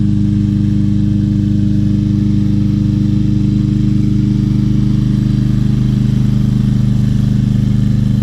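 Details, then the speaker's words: Free 2020 Craftsman M320 self-propelled mower, 163cc Briggs & Stratton, said not to start, now running with a clogged air filter and a blade needing sharpening: smooth, even single-cylinder thrum at steady speed, no misses or knocks; normal running. "I don't want to cut much because my blade it needs sharpening that's one of the best running"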